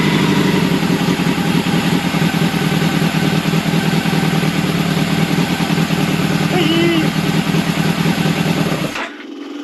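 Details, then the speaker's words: Old Honda CBR600 track bike, started on choke: loose lumpy running that dies as soon as the throttle is opened; carbs to be removed and cleaned. "soon as I pull the throttle it's dying so the carbs are gonna have to come out it's gonna be clean but it runs now"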